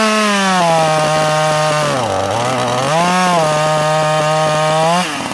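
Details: Sachs Dolmar 43cc chainsaw with timing issues; a strong, crisp two-stroke howl holding high revs, dipping once under load and climbing back cleanly, running healthy.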